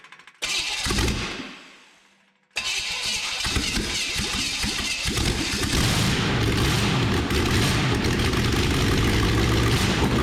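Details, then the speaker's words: Bone-stock ~100,000-mile 1986 Chevrolet van 350 small block, crank pinned, new plugs and intake gaskets, blower fitted, open exhaust straight out of the heads: cranks, catches, loud rapid even rumble with no knocks; flames from all cylinders, seems to run pretty good. "It seems like it runs pretty good, but it's kind of hard to tell with earmuffs on and straight out of the heads."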